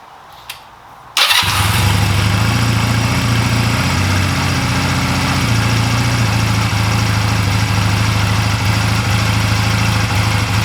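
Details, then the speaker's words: 2004 Honda Rebel CMX250C after new spark plugs: small twin fires up and idles low, uneven and stumbling, still rough with idle turned down; first new plug made it worse, original plugs CR6HSA versus new CS6HSA. "so yeah if I turn the idle down you can hear it's still rough"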